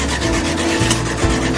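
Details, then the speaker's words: Dodge Durango broken down, cranking but not starting: starter keeps churning in an uneven rhythmic whirr, about two to three pulses a second, engine never catches; onlookers fear the starter will burn out. "this is just ridiculous guys you can hear the starter going on"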